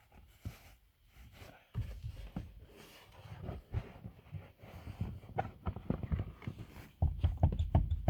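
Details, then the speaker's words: VAZ 2114, rear clunking over bumps: irregular dull low thuds and hollow knocks from the rear; play in the tailgate hinge, which sits inward, knocks while driving. "вот а это Всему виной петля Она идёт внутрь Я уже её посадил здесь на шайбу было по-другому люфт имеется и этот это место в шарнире подступит на ходу и поэтому создаётся такое впечатление какого-то клокот сзади"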